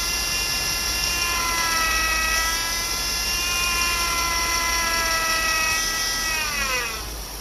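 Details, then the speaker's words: 2008 Chevy Impala 3.5 V6, noise persisting after power steering pump replacement, engine revved a little: high whine climbing with revs then dropping; air bubbles in the fluid, so pump whine from aerated fluid. "When you look in the corners, there are little bubbles. See it? Reflecting off the light? Those are air bubbles. That's what's giving you that noise."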